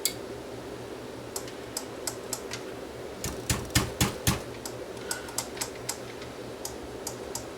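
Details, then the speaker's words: Sony STR-AV450 receiver that will not power on, top off on bench supply: sharp uneven relay clicks over low hum, power relay chattering without pulling in, dim standby light; technician suspects weak separate standby power supply. "Okay, this one's got a power relay in the back here. And when I turn it on, you can hear something clicking."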